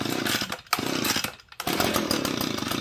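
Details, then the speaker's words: Echo PB-250 two-stroke leaf blower with new replacement carburetor, cold start on full choke, no throttle: first pull catches with a high buzzy rattle that stumbles and drops out briefly, then picks up; normal cold start on full choke. "Okay, once it fires like that, then push the choke down to about the halfway position."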